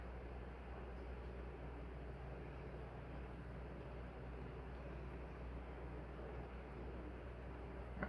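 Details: Nutone Proline PFC-48 48-inch commercial/industrial ceiling fan, early wide-canopy version, on high speed via decade capacitor test rig; steady even whoosh of air with a smooth low hum, no ticks or wobble, running healthy.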